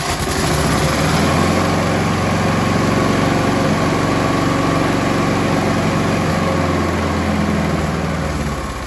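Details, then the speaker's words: Scott Bonnar alloy-bodied lawnmower with 4-stroke Briggs & Stratton Sprint 375 engine, received free with issues, throttle set about halfway after throttle cable secured: steady even part-throttle running without misses or surging, now mechanically sorted. "So there you go. I think we've got this lawnmower mechanically sorted now, folks."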